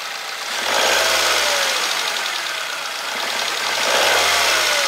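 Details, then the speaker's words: Chevrolet Spark/Beat 1.2L just after a spark plug change to NGK DCPR7E: even, steady idle hum that swells gently and settles with no misfire; smooth, stable normal idle. "that means that this change of well-calibrated spark plugs gave the engine good stability, for example,"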